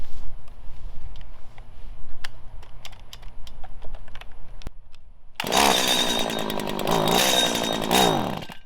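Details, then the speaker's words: 1997 Stihl Pro Series FS two-stroke trimmer, carburetor high/low screw adjustment: ragged sputtering idle, then on throttle the engine labours and wavers, sagging near dying instead of revving cleanly; mixture badly out of tune, engine bogging. "right you see how bad it is it doesn't want to run let me show you how you can hear the difference"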